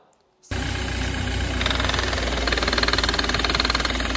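Engine running with a rough, uneven knocking rattle over a hissy upper layer; points to a noisy air-conditioning compressor.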